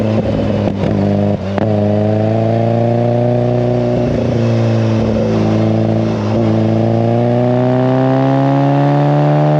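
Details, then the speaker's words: Classic Mini, 1330cc A-series engine, carbs balanced, timing about 12–15° BTDC: strong, clean note climbing smoothly and evenly with throttle, no misfire or stumble; healthy, well-tuned, runs like a weapon. "Well, folks, as you can hear, this thing is an absolute weapon. I cannot explain how good this thing actually goes."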